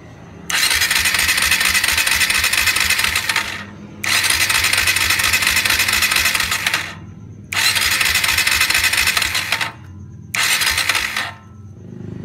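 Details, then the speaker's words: Kawasaki W175 SE with lost ignition, coil already replaced: checking the CDI output cable to the coil while cranking in four bursts, one spark then none, and it never catches. Cranking, no start. "Hai ada satu kali percikkan api lalu mati kembali Sekian panjang saya starter tidak tumbuh lagi apinya percikkan api dari kabel keluar menuju ke kuil"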